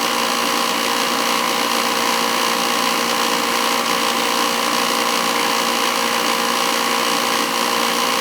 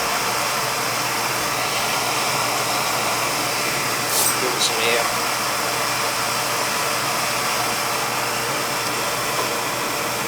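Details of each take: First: Old oil-fired boiler burner running with limit control jumped out: loud steady roaring hiss with rough fluttering edge; noisy burner caused by faulty air shutter, to be removed. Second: Old oil-fired boiler burner fired up after service: steady, even roar of flame and fan with no knocks, rattles or pulsing, noticeably quieter than before; running normally, though the boiler needs replacing.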